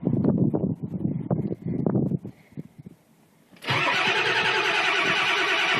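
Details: Ford 7.3 Powerstroke diesel at about 30°F, plugged in about 5 hours, after new glow plugs, glow plug relay and batteries, glow cycled once: slow uneven cranking then steady whir; turns over but never starts.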